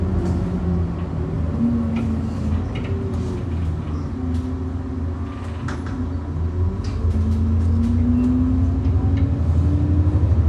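Sharp clunks break through the steady road rumble as the bus crosses rough patches, a loose knock somewhere in the suspension.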